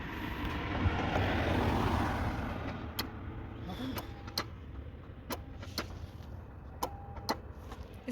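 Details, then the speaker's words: 2002 Toyota Sienna cranks but won't start after battery replacement; relay in the fuse box near fuel pump fuse clicks in sharp pairs about every second and a half and keeps clicking with key on/off, cause unknown. "both this one and this one they both work but which one is clicking they all click no just supposed to be one I heard one click"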